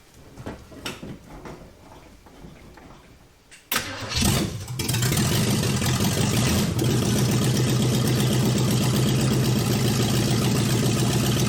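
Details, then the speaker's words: Junkyard Chevy Nova four-door on jack stands, new accelerator cable, open exhaust manifolds dumping straight down, run in gear: loud even raspy open-pipe drone with driveline turning, rear tires spinning; running steady. "thank you tires were moving now I was looking at the driver's side Tire not the passenger side from the seat and I didn't see it moving as much"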